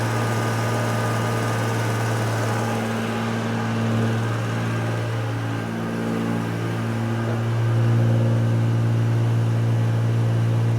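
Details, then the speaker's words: 1968 Jaguar S-Type, first running in about 30 years on its own cleaned original fuel tanks after a few failed startups: smooth steady low hum at even idle, slight rise near end, no misses or knocks; normal idle. "Seems to be idling nice, doesn't it? So yeah, it seems a bit better. It's like it just wants to be ran a touch, doesn't it?"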